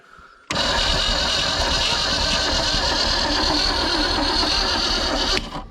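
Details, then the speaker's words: 1973 Mercury Comet GT 302, first start attempt in 35+ years, battery not fully charged, some valves adjusted without running. Starter spins steadily about five seconds with no firing; cranks but won't start, cause unconfirmed. "he got more turnover he got battery ain't fully charged got a little more turnover though all right hit it yep come on baby crank"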